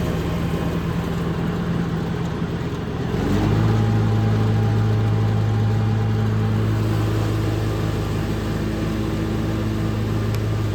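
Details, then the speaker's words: Hustler Fasttrack SDX mower with what are thought to be Oregon high-lift mulching blades, engaging the blades for a comparison with and without X-blades: steady engine, then at about three seconds the deck engages and the engine pulls down to a deeper, even drone; normal engagement. "next I'm going to do a quick thing is starting the blades on the machine so you can hear what it sounds like when it kicks in without the X blades and the difference how much strain it puts on uh with the X blades on"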